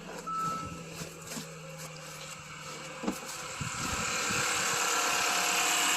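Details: Kia/Hyundai GDI engine after replacing high-pressure fuel pump for code P0091, fuel system primed until hissing stopped; short chime, cranks, catches and settles to steady even idle, no hiss or ticking, no fuel leaks.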